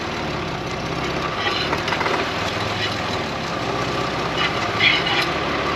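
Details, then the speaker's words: Uneven metallic scraping and rasping over drivetrain hum, rising and falling with rotation, on a vintage Volvo TGB 13 6x6 truck; handbrake off, sounds like drum brake shoes scraping inside the drum; something broken in the transfer case is dragging. "you can certainly hear what the issue is it definitely sounds like it is the drum break shoes scraping on the inside of the drum"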